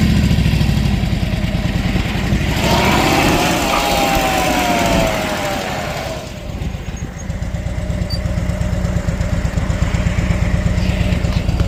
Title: Harley Dyna Street Bob 2010 Twin Cam Primary whining rattling noise